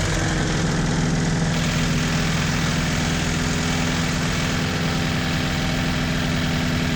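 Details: 1986 Toyota MR2 AW11 idles steadily and evenly with no stumbling or hunting after the last vacuum leak was fixed. Normal idle.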